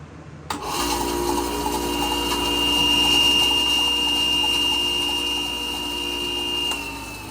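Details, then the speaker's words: Ryobi 4x36 bench-top sander, about a year old, run with the belt removed: motor hums steadily with a high whine and no clicking, pointing the clicking fault to the roller bearing. "So it's not making that clicking sound, so it makes me believe that the problem is in the bearing in this roller up here."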